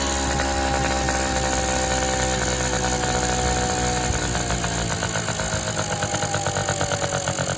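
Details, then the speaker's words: Honda Express NC50 two-stroke moped with a dirty carburetor and air filter, adjusting the low-speed mixture screw at idle: buzzy idle whose pitch slowly sags until it stalls; likely flooded afterward. "Alright, it died out. Let's start it up again. Come on, get a little throttle. I think I flooded it, so let's try this."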